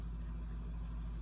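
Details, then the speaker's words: Noisy 4K UltraHD Blu-ray disc, after two heavy tape pieces added to balance it: low, steady hum with no wobble, rattle or thumping; disc spins quietly as if well balanced. "It is dramatic. That disc sounds like it's perfectly balanced, but the reality is it's not. I just have two heavy pieces of tape on it."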